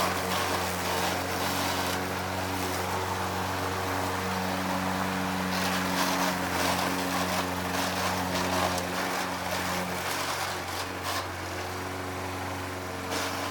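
Steady engine drone with a rough, gritty grind running through it while mowing; the drive transmission is worn and grinding.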